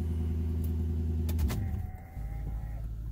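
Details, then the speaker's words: 2003 Infiniti M45 after replacing a coil pack to cure a misfire: smooth, even low rumble at idle with no misses or knocks, slight exhaust leak suspected at a resonator; normal idle. "still has a little slight exhaust leak but I don't think it's anything major I think it's one of the resonators but wow that sounds good"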